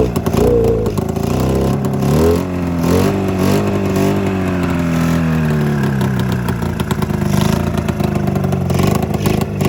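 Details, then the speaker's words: 27-year-old Mountain Cat snowmobile two-stroke after coil replacement, fuel delivery or float issue suspected: revs raggedly, stumbling and blubbering as throttle opens, one cylinder running, the other barely sparking and guzzling fuel; misfire on one cylinder, cause unconfirmed. "you see that one that one seems like it's running but this one on the other hand just seems like it's freaking just it's got a little spark every time and it's just freaking guzzling"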